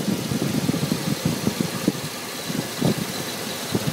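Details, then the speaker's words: Dodge truck with check engine light: uneven, lumpy idle with irregular low thumps and stumbles, running really rough; sucking noise from under the intake, owner guesses distributor; cause unconfirmed. "But yeah, it's run. It just run really rough."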